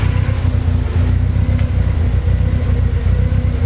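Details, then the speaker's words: Toyota AE86 Trueno with 4AGZE turbo engine awaiting rebuild, started after over a month sitting, cold idle warming up: rough low rumble with a faint irregular tapping of unclear source, blow-by smoke from valve cover. "and there's one tapping noise you can hear yeah something must be"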